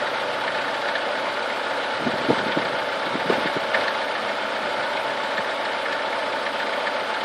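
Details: Chevrolet Niva engine warming up through 30, 50 and 70 degrees: a steady warm idle with a few sharp, uneven taps; an engine knock of unclear origin.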